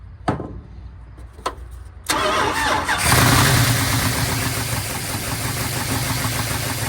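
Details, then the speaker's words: 1970 Dodge D100 383 big block, sat 30+ years, just started after carb cleaning: steady loud idle with hissy rushing edge; vacuum leak from an unplugged PCV port, lifters also noisy with oil full. "Hear a vacuum leak. I forgot to plug that off. Okay. That's PCV."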